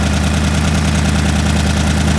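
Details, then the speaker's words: V8 restarted after repair, coil pack and cam sync not yet tightened: a deep, even, steady idle lope, no knocks; runs well, though the idle air-fuel reads about 11:1, rich on the driver's side for unknown reasons. "So it's running good again, although for some reason the idle says it's 11:10 to 1. What's interesting is that the driver's side seems to run smoother, but anyways, I got this thing going again, and so far so good."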